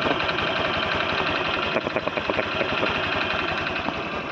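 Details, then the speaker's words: Honda Click V3 scooter at 5,523 km idling, ticking since before 1,000 km: loud, fast rattling tick over the engine, audible from afar. Owner first suspected the tensioner but, listening with a screwdriver, places it elsewhere; unconfirmed. "Kasi maririnig mo talaga siya kahit sa malayo ah mas malakas pa siya sa tunog ng motor."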